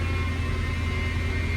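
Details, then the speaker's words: 2005 Mercedes E55 AMG, supercharged M113K V8, 168,000 miles, cold start: a deep steady low hum with a faint higher whine at constant pitch, cause unknown. The car also has leaking fuel pump seals. "I don't really like that sound, that humming."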